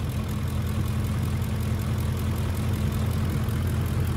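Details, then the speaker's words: 2006 Ford F-150 5.4L 3V Triton, almost 300,000 miles, right after the vacuum line is grabbed. A deep, even V8 idle with only light regular valvetrain ticking and no more hiss; it runs much better and the fuel trims will adjust. "engine runs a million times better already and it will slowly uh adjust the fuel trims are run perfect and no more his regular valve train noise"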